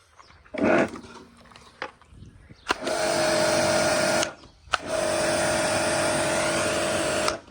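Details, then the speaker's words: Karcher K5 pressure washer after two-pole switch replacement (previously would not turn off): motor starts on the switch, holds a steady even hum with pressure, stops cleanly when switched off, then restarts; repair successful. "Perfect, that's a repair success. So on, there's pressure, and turn it off."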